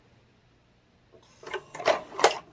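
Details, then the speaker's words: Sony DVD/VHS combo recorder with HDMI out: the VHS deck cycles with three quick whirring clunks and this time makes a different noise without ejecting the tape. Video head looks dirty; the owner suspects the sensors or the mode switch. "oh well made it did you hear that it made a different noise that time it didn't pop it out let's try that again"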